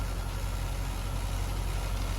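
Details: C50 truck idling right after a power steering conversion, with the steering wheel turned left and right; a steady, low, even rumble with no pump whine or groan and no leaks seen. The new power steering works normally.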